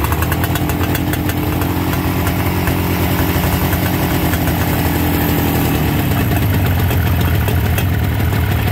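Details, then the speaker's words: 1969 Yamaha DS6 two-stroke, kick-started with choke: steady crackly idle that runs evenly but sits low; the idle screws need turning in to raise the idle speed. "that sounds pretty good idling a little low we might want to bring that up yeah we're going to want to bump that idle up a little bit"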